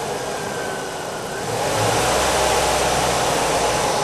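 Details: Engine warm from running, started to check oil pressure (spec 40–60 psi at 2000 rpm hot), found within specification: catches, builds briefly, then steady even run with no knocking or ticking; normal start and run.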